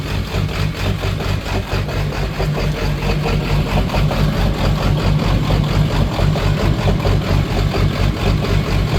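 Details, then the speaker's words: Ford 7.3 diesel truck: deep idle with an uneven, stumbling beat and periodic dropped pulses, a cylinder missing at idle; started normally, began missing as it warmed up. Owner suspects a bad injector, unconfirmed. "I don't know what I got going on I guess I got a bad injector I started is that noral and then it started to warm up and it started missing"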